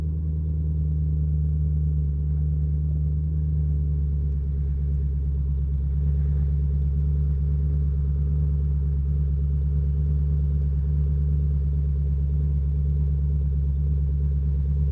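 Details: 2005 Maserati GranSport V8, exhaust note at fast cold idle after startup: deep, steady, melodious rumble with an even, smooth beat, no ticking, knocking or valve train noise, no check engine lights; normal healthy cold start idle.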